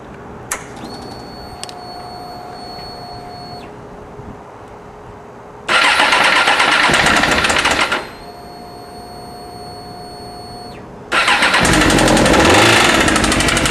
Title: Suzuki GSXR750 with severe rod knock.